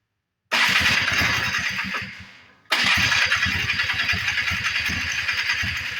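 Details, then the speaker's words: 1994 Polaris 250 Trail Boss after carburetor clean: two cranking bursts with quick chuffs, slowing, never catching; fuel coming up, flooding out, plug soaking wet, suspected fouled from the start; cranks but won't start. "it's not trying to run it's actually looks like it's actually flooding out what it looks like it's getting a lot of fuel coming up through here"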